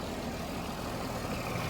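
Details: 29-year-old TimberJack 450-C skidder diesel after sitting 8 years, freshly started, not yet hot: low steady idle with even rumble, no puffing from the breather; zero blow-by, runs smooth and healthy.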